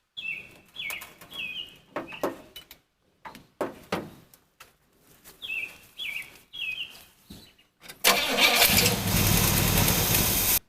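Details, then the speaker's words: Car jump-started with a K2 jump starter: several rhythmic cranking bursts, then the engine catches and settles into a steady loud run. Normal engine start. "Well, look at that, it did it."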